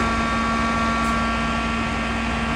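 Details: Mosquito Magnet propane trap, about 2003 (Defender or Patriot), that would not fire up; plugged in and powered with the propane slowly opened to test the igniter. Steady whirring fan hum with no solenoid click or burner ignition: the burner is not lighting.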